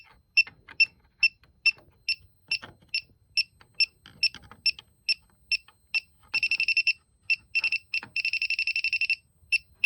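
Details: Elitech WJL-6000 refrigerant leak detector at a known leak site: shrill high beeps at about two per second, quickening into rapid bursts; owner unsure if leftover soap residue is triggering it. Leak detector alarm.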